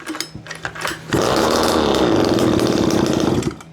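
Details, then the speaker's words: 1/5 scale RC Baja two-stroke, about 8°C, needles opened one turn, choked once: buzzes unevenly about two seconds then cuts out; seemed to die too rich, fuel running out; low needle 3/4 turn, high needle closed. "Okay. I don't know, that almost sounded like it died from too rich again. Yep, fuel is running out."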